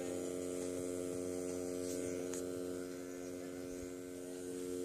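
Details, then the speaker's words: Homemade boombox built around an amp and radio, running without the antenna. Reception is fine, but the buzzing sounds louder when the radio is used: a steady low hum at one unchanging pitch, suspected mains hum getting into the amplifier. "that buzzing sounds a little louder so yeah let me get all that in there"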